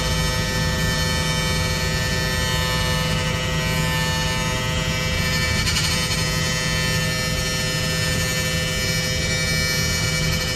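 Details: Bus: constant high edgy buzz at one pitch, like some kind of alarm; electrical buzzing noise, cause unclear, was told it's normal.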